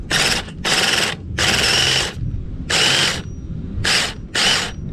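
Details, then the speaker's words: 2008 Duratrax RTX-27 1/8-scale nitro monster truck on first start attempt after priming; starter whirs in short bursts but the engine never turns or fires because the starter one-way bearing is slipping. "well the one-way bearing is slipping that's basically how it is well that was a fail the one-way bearing just started slipping"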